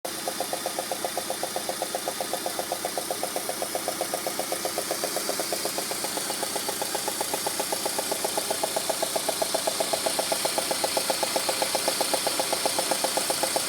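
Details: Peugeot 106 GTI at idle: sharp, very even ticking about four times a second, with the head done three months earlier; the cause was a failed four-month-old (5000 km) spark plug.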